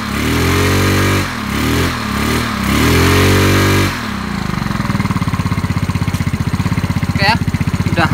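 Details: Yamaha Mio Sporty scooter after replacing worn rear CVT bearings that caused crackling at high rpm: throttle blip then even idle putt with no rattle from the drive; CVT sounds normal.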